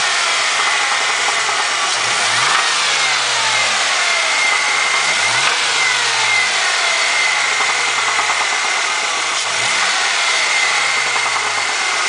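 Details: 2003 Ford Mustang petrol engine blipped three times, with a dull, irregular knocking and clatter under the revs; suspected piston slap and rod knock, not confirmed.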